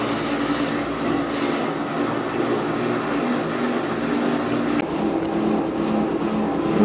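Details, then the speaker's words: Washer (replacement for a failed Whirlpool) on its final spin, picking up speed: a steady whirring rush with a hum building near the end. Little vibration compared with previous washers; a normal spin. "Now it's starting to pick up speed on the spin. And now it's really cranking. You get some idea how fast it's turning."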